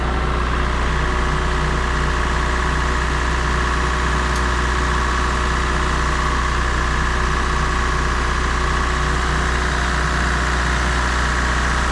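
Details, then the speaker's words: Mazda MX3 automatic idling smoothly with an even low hum and no knocking or slapping after a torque converter replacement; the whine had actually come from the belts, the motor mounts no longer slap, it goes through all gears, and the squeal is gone. "It's running and sounding great. Goes through all the gears, and best of all, no more of that annoying squealing."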